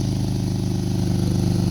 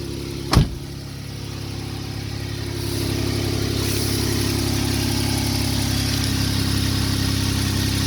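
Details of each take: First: 2012 Jeep Wrangler 3.6 V6 idling: rapid, even puffing from an exhaust leak on the driver's side, where the crossover pipe meets the intermediate pipe flange, with rotted, thinned bolts and a separated joint; fixed with split flanges and long bolts. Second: 2012 Jeep Wrangler 3.6 V6 idling nice and quiet after an exhaust leak at the driver's-side crossover pipe flange, whose bolts had rotted, was fixed by sandwiching the pipes with two split flanges and long bolts; steady low hum, no ticking or puffing.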